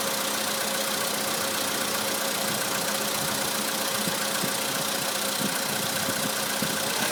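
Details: 2013 VW Polo Sedan (Russian build) at idle, noise most noticeable when cold: faint, irregular light tapping in a busy, hissy idle; owner thinks it is very likely an engine knock but is not sure.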